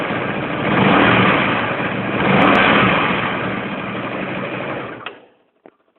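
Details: Comet 250 motorcycle engine idling with a busy, rattly clatter that swells and fades without settling; an abnormal mechanical noise of unclear cause.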